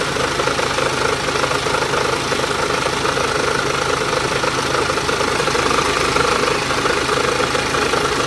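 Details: BMW X1 23d, N47S D20 diesel, strange running at low rpm: loose, uneven knock about three times a second over the clatter; cause unknown, owner asks what it could be.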